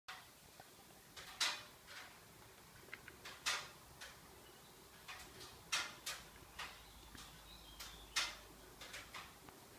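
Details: Subaru Levorg parked with the engine off: sharp, light, irregular clicks roughly once a second, starting about ten minutes or more after the engine is turned off.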